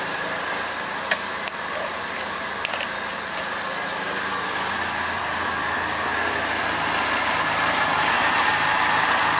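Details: Second-hand Triumph Dolomite 1300 engine just fitted to a Gentry MG TF Replica, first start, warming up while spilt oil burns off the manifold: steady, even idle with a smooth note and no knocks or misses; sounds like a good engine.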